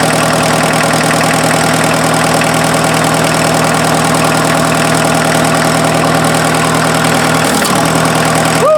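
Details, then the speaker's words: Freshened-up diesel in an offroad Mazda truck just after first start, following an odd sound the owner suspects came from the belt being one tooth off: a steady, even idle with a firm beat around 200 a minute, no knocking. No coolant smoke; normal idle. "that's a good sign sounds pretty good"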